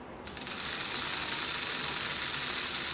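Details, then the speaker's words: Rebuilt 1980s Bachmann HO scale U36B pancake motor running out of its shell after the gears were cleaned and lubed. A steady, even high whir with only light gear rattle; the motor spins freely and runs normally. "Now that we've cleaned it out, our gear repair sounding fairly good. That ain't bad at all. That's much quieter."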